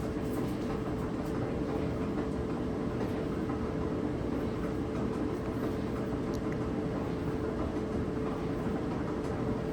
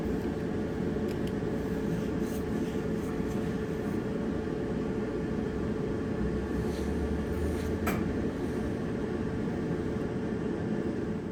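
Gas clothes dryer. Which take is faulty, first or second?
first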